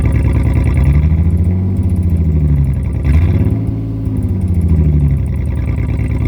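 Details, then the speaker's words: 2004 Jeep Liberty 3.7L with the muffler removed during a muffler and tailpipe replacement. A deep, booming raw drone rises and falls with revs; the exhaust is far too loud with no muffler. "But I just want to hear what it sounds like with no muffler."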